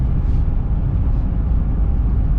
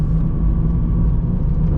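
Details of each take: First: 2005 Jeep Liberty KJ CRD at about 65 mph on the highway, after replacing both front wheel bearings and hubs that had caused a loud front grinding: steady road and wind roar with no wheel growl, cab down from about 81–82 dB to about 74.75 dB, quiet. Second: 2005 Jeep Liberty CRD (KJ), heard in the cab at highway speed: a loud, steady, low droning roar and grinding from the front; worn front wheel bearings and hubs.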